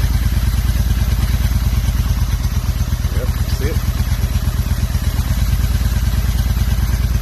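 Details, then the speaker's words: 2005 Honda Shadow 750 with dual carburetors, idle misfire and power loss, running only on choke: the V-twin idle revs up when the intake boot is sprayed; intake vacuum leak caused by loose OEM clamps at the boots. "Looks like we have a nice vacuum leak. Hear that? See how it's going up?"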